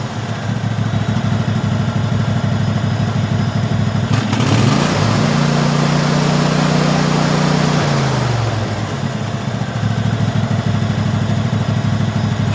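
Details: Craftsman hydrostatic tractor V-twin, which had refused to run, now running after the carburetor was cleaned and its bottom fuel solenoid replaced; a steady putter rising in pitch, then dropping back to idle: normal running.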